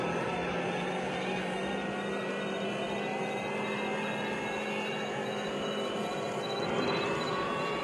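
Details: Rally car cruising: steady droning hum over road noise, rising in pitch with speed; bad bearings, worn wheel bearing suspected but not confirmed.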